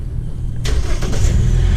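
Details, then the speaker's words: 2012 Hyundai Elantra after replacing the leaking exhaust gasket and deteriorated bolts near the muffler: the engine starts into a smooth, low, even idle with no puffing or ticking from the exhaust. Leak fixed, normal exhaust. "there you go silent like a newborn baby bada bing bada boom"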